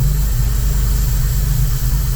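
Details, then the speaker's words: 1988 Opala Diplomata on FuelTech FT450 injection, started after about 8 hours of work: deep lumpy idle around 900 rpm with occasional exhaust backfire pops, very sensitive; not lean, lambda about 0.90, fuel being added. "Es ist sehr empfindlich Es gibt ein Geräusch, es gibt einen Auspuff, der nach hinten losgeht"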